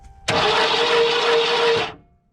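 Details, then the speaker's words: 1991 Ford F150: starter whirs freely for about a second and a half, no cranking beat or firing; starter engages but the engine doesn't turn, broken flex plate. "okay so we see starter hitting the flex plate all good but it sounds like the motor's not turning over okay sam crank it and the motor's not turning over so that means our flex plate is broken"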